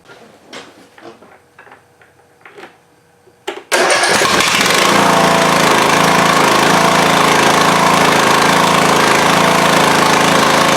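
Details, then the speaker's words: Craftsman riding mower engine, unrun for a couple of years, swapped into a Husqvarna with fresh oil: a few clicks, then the single catches and runs fast and steady with a slightly uneven popping exhaust; owner blames long sitting. "Well, that started up nice. I guess the battery was good. It's a little poppy. I suppose it's been sitting for who knows how long, but it does run."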